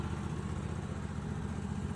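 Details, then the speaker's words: Vintage ARGO 6x6 Vanguard II amphibious barn find, long neglected and driven once by the last owner, running on a swapped non-stock Honda engine with messy spliced factory wiring: steady low idle, even unbroken beat, no knocks or misses, normal running. "We got her running here with a non-stock engine. As you can see, the wiring is factory. But yeah, got her running."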